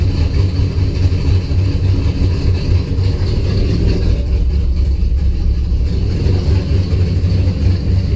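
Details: Engine after spark restored by moving loom wiring; fuel pressure 50 after prime, over 60 during prime, running really rich and sneezing fuel after failed start; deep, uneven throbbing idle that wavers and stumbles; rough idle, cause not pinned down.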